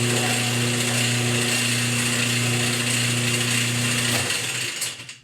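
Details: Whirlpool-style direct-drive washer: loud harsh grinding rattle over a steady motor hum, no spin, agitate or drain, from a broken motor coupler (kit 285753A).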